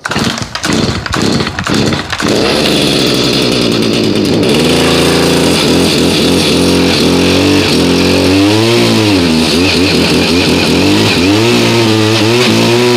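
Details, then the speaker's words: New two-stroke unit, cold start around 30°F after about 5 months stored on ethanol-free fuel without stabilizer, choked and primed: a few pull-start rasps, then crisp buzz revving cleanly with the throttle; normal running, as expected of a new unit. "okay runs good no surprise from a new unit"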